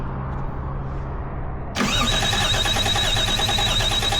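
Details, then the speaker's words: Toyota Cressida with 1JZ engine swap, sat three years, cranked after carb cleaner spray: steady starter cranking three to four turns a second with no firing; no fuel pressure, fuel pump wiring fault suspected. "All right, fuel pressure didn't come up at all. So, it definitely still runs. It just doesn't have any fuel pressure."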